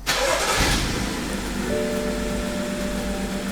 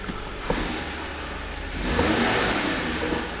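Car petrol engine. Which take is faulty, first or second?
first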